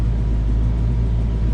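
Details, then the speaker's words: Project 4TO8 car in the shop on a freezing day: deep, steady low rumble at idle with no ticks, knocks or stumbles; purring like a kitten, healthy idle. "But here she is, just purring like a kitten."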